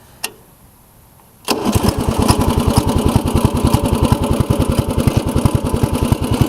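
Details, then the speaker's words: 1990 Craftsman riding mower, 15 hp OHV Briggs, repaired after fuel-diluted oil and suspected hydrolock, loose engine mount bolt fixed: cold start without choke, catches at once and settles into a strong, even low thump about two and a half beats a second; healthy. "right up usually don't have to even choke it to start it even when it's cold"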